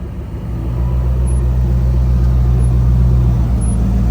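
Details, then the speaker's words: Morrvair V8 with 250,000 miles of neglected maintenance, off-road testing at Sand Hollow after carb tuning and accelerator pump setting correction; deep rumble builds quickly and holds steady under load, no stumble or misfire; clean throttle response. "Well, it's definitely got better throttle control. We haven't spent any time tuning this ever."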